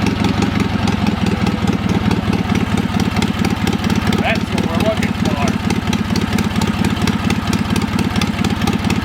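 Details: Old Wisconsin THD twin-cylinder engine started after freeing a stuck exhaust valve with oil on the stem; brisk steady putter on both cylinders, slightly choppy; runs pretty good overall.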